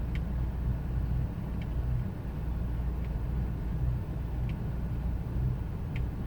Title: 2000 ford expedition 5.4 rough idle